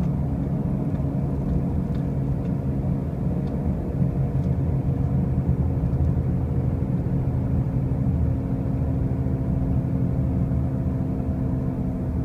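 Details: 2005 Pontiac Grand Prix with brand new wheel bearings and new tires: a constant loud droning hum over the road noise throughout the drive, unchanging; the source of the loud noise is undetermined.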